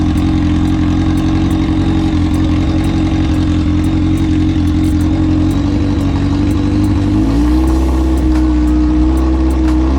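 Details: Kawasaki ZX-10R drag bike after three years in storage, fuel pump rebuilt and tank cleaned: steady strong idle with a smooth even beat, revs step up cleanly around seven seconds and hold; normal running.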